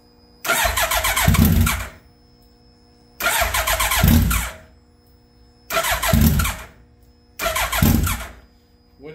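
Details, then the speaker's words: 2003 Suzuki Hayabusa, first start after repair (fresh oil, filter, coolant hoses), no mufflers: engine catches and revs about a second then dies, four times in a row; owner suspects tip-over sensor, unconfirmed. "starts and stops like that that's usually the tip over sensor maybe I need to just whack it and reset"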